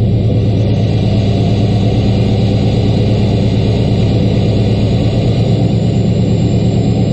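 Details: LBZ Duramax diesel cold start at -11°F, 9000 ft altitude, one grid heater cycle: fires right up to deep steady raised idle with slight turbo whistle; normal cold high idle.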